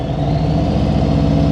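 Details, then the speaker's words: Motorcycle in slow-speed riding practice, rider listening to engine sound to set throttle before easing the clutch out: steady, slightly raised note with an even low pulse, no surging or dipping; healthy engine held just above idle. "So if you say, how do I know if my throttle's too low? I can hear it, right? I can hear it. And I know once I start opening this clutch, it's going to change the sound, right?"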